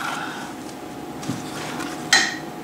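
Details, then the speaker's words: Brake lathe hub weld repair: quiet shop, then one sharp ringing metallic ping as the cooling weld cracks through the wall welded without filler rod, showing the residual stresses; weld crack. "Dean you hear that that just broke through that wall there that I didn't put any filler in so it gives you an idea of the stresses that are in up"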